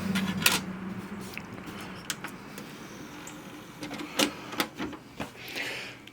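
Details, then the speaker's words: Symphonic VHS/DVD combo recorder, DVD drive failing to read a disc: light clicks and short whirs as it keeps retrying, runs to the last flashing light, flashes a while, then shows a disc error. "you can see it's trying to load it and what happens is it runs all the way to the last flashing light sits there and flashes for a while and then it'll go dis airor"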